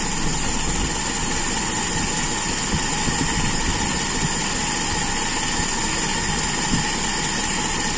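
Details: Toyota Kijang with Aisan carburettor after disassembly and tuning, throttle cable refitted, final idle: smooth, steady, even hum with no misses; mixture judged very slightly rich, kept that way for power at the customer's request.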